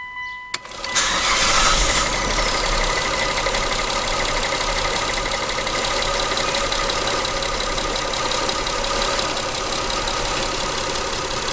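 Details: Mitsubishi Endeavor 6G75 3.8 L SOHC gasoline V6 on cold start: loud, fast rattly clacking about three a second over idle, typically fading after 5–10 seconds as it warms; failing timing belt hydraulic tensioner suspected.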